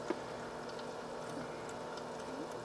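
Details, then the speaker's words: H220 liquid CPU cooler at 2947 rpm, warm coolant, reservoir fill cap pointing down likely keeping air circulating; faint gurgling trickle over quiet pump whir, no grinding, said to go away with use: air trickling in coolant loop. "alright i'm not sure how long this trickling is going to last but this is kind of something you'll hear a lot at least in this orientation"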